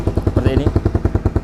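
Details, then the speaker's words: 2010 first-generation Honda CBR150R with its muffler rusted through and due to be patched; covering the hole changes the sound. Loud, raspy popping idle about twelve pulses a second with a hollow bark: exhaust leak. "kebetulan kalau untuk motor ini ini kenampotnya kropos di bagian sini nanti kita perbaikin ya kita tambal ya paling enggak Kalau setelah ditambal itu suaranya enggak berisik coba kita Nyalakan ini kan Suaranya berisik"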